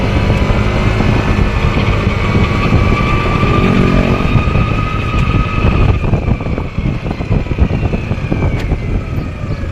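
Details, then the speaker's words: Yamaha NMAX scooter while riding: a loud airplane-like whine over the engine, pitch following road speed. It starts around 20 km/h and fades by 40–50 km/h. Transmission gear whine; the primary driving gear is to be replaced. "Malakas yung tunog niya. Parang nagte-takeoff na eroplano o kaya malakas yung ugong."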